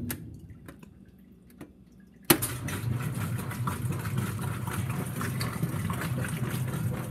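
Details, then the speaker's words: Whirlpool WTW5300SQ0 top-load washer after a new timer was fitted, set to drain; a few quiet drips, then steady low rumble and whir of water pumping out as the drum spins evenly, no grinding; normal drain and spin. "and it is draining right now you can see the water getting emptied"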